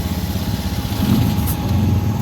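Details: Honda Vario 110 ESP/FI scooter that would not start, after the CKP pulser and magnet were refitted: a fairly smooth low putter that keeps running after starting, with no stumble or dying. It now starts.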